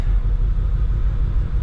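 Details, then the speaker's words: Abandoned 1993 Corvette 40th Anniversary six-speed running on old bad-smelling fuel. Low, uneven, lumpy idle with no exhaust smoke; running rough, possibly from stale fuel. "we got no smoke coming out of the exhaust but he's definitely not running that good actually"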